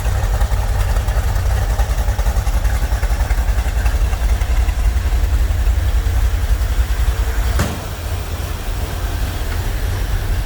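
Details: Corvette C3 V8 after Holley carburetor repair (earlier fuel from only one venturi, odd noises and misfires): deep, even burble at idle with no stumbles, running cleanly on all cylinders; normal idle.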